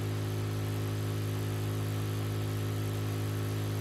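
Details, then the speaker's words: Exhaust cooling fan from an Artlii Stone 1/M18-type projector run at 12 volts, before voltage is lowered with a buck converter: loud steady whir and hum. Cooling fan noisy at full supply voltage. "donc mis 12 volts ventilateur voilà comme vous pouvez le constater ça fait du bruit"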